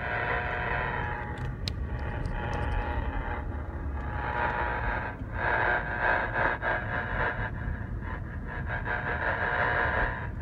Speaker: cavilla it's a 20 over9 DB RFI signal coming off the power poles on West